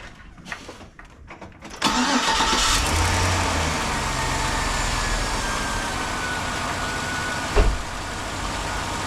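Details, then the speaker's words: 2005 Chevrolet Silverado 1500 5.3L V8 after new alternator install: quick crank catches cleanly at about two seconds, smooth even idle with no misses or knocks; charging 14.4 V at alternator, 14.3 V at battery. "Okay, we got the alternator installed. I'm gonna fire it up and we'll see how she's doing."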